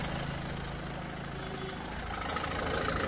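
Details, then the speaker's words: Renault Duster, engine started, bonnet open: light, fairly regular top-end ticking/knocking at about three per second over steady idle, before oil treatment; tensioner, belt and timing checked, no black smoke. Ticking at idle, cause unknown. "गाडीचा हा जो शटकट हा sound आहे मळून येतो त्याच्यावर आपण हा व्हिडिओ बनवणार आहे"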